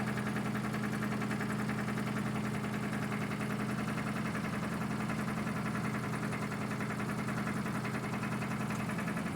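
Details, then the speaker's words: Citroën GS carbureted engine started dead cold, choke about 50% out: steady even idle, constant low hum with conrod-type cold sound, no hunting or stalling; owner suspects flat carb base helps; normal cold idle. "Just want to show you how this just starts up and holds perfect stable idle when cold. Maybe it's due to the flat base on a carburetor, I don't know."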